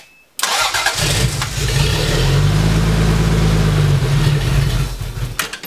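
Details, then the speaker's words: 1980 Toyota Supra barn find, unstarted for years, after a replacement fuel pump was fitted: long, even cranking churns for several seconds without catching. The new pump probably needs priming. "we couldn't get it started pretty sure it was the fuel pump I removed it we overnight it a fuel pump in see the assembly here we're gonna try to crank her over see if we can get her to start all right nothing yeah probably gonna have to figure out a way to try to prime that pump"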